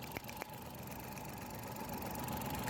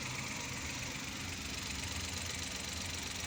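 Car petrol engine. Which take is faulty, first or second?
first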